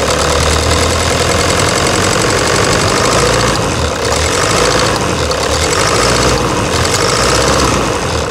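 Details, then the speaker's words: 2009 Toyota Hilux diesel at idle, before repair, with a stuck injector nozzle: loud idle with a hard, uneven, very loud knocking clatter and shaky rhythm, engine vibrating from the faulty injector. "essa Hilux cinza aquele que está no box ela tá com grão-de-bico e o bico está travado certo e para você ter uma ideia ela está castanhando alto tá tá mas muito alto"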